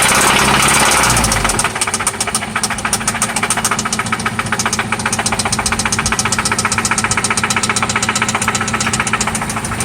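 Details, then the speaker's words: 1995 Toyota Celica ST petrol engine idling after an oil change and new spark plugs: a loud, sharp, steady knock at about four beats a second, seeming to come from one spot on the engine. "Oh yeah. This is what that sounds like. It sounds like it's only coming from here though."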